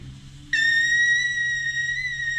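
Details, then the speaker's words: Yamaha YFZ450 single-cylinder engine, roughly 2006, during leak-down test: steady high clear whistle of air escaping past an intake valve; exhaust valves sealing, head must come off to rework intake valves. Intake valve leak. "all right we got an intake valve that's leaking"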